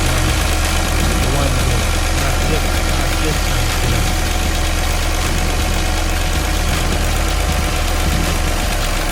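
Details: Engine idling deep and steady with a faint unevenness in the beat, stumble not pronounced; misfire on cylinder 5.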